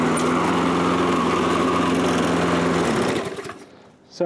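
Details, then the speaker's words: Toro Recycler self-propelled mower made around January 2010, with an auto-choke carburetor, after repairing its no-start fault: a steady, even buzz for about three seconds, then shut off, winding down cleanly. Normal running after the fix. "going to have a nice running lawnmower again"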